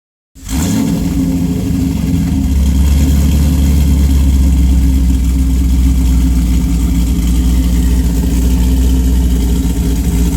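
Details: Heavily modified engine with Pat G-spec Cam Motion cam (EPS lobes, 222/226 duration, .629/.629 lift, 112+3 LSA), Manzo stainless headers, Solo cat-back with mid muffler and J-pipes; loud lumpy exhaust stumbling unevenly through revs into idle, really bad misfire.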